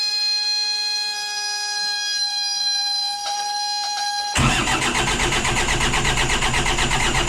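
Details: 60hp Isuzu C240 (QD60) diesel in a 1985 Outer Reef 26 trawler, not started in 10 years, injection pump just primed: after a steady tone it suddenly catches and runs ragged and uneven. Hard starting.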